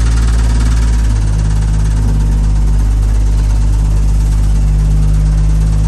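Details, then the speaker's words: 1975 DJ5-D postal Jeep under load, reversing uphill: heavy low droning buzz swells over the engine note without sharp knocks, heard as a vibration rather than mechanical knocking; owner suspects the muffler, cause unconfirmed. "No, it just sounded like a vibration. It did, didn't it? And it didn't sound like a mechanical knocking."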